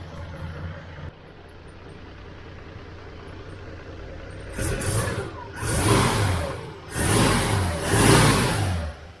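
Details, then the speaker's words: 1979 Holden Kingswood six-cylinder, still cold, just after fitting new plugs from an electronic-ignition 202 engine and a modified throttle return spring: picks up cleanly through rev blips and drops back evenly, running much better with no misfire. "well i can't believe how much better that is straight away and it hasn't even warmed up yet it's actually still cold"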